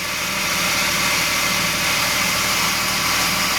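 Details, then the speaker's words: Restored carbureted Suzuki, freshly rebuilt engine with new pistons and rings, warming up after first start with no adjustments yet: even fast idle hum with steady hiss, no skips, stable, not misfiring. "But it's definitely not misfiring. It looks like just completely stable and not rough at all."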